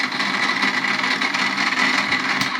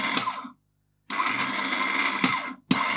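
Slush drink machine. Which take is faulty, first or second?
first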